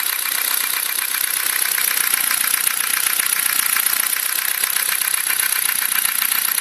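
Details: Ford Focus 2 engine: sharp, fast metallic ticking about four per second over the running engine, steady at idle; engine knock.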